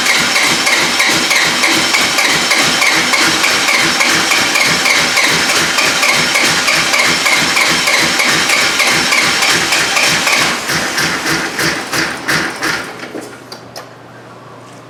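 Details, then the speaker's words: Replacement 4.7 HO V8 from a 2003/04 Jeep Grand Cherokee in a Dodge Ram 1500, first startup: sharp metallic rattle about three times a second over a rough idle before shutoff; oil pressure came up, cause unknown. "that's noisy where's that noise coming from it's kind of like a rattle hmm well it did fire right up what the heck is rattling"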